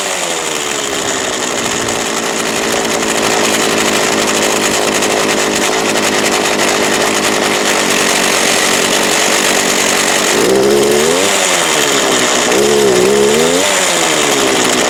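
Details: Craftsman 19" 25cc gas hedge trimmer with cracked fuel lines and possibly old gas: two-stroke buzzes at high revs, then pitch sags and surges unevenly as it bogs down, near stalling.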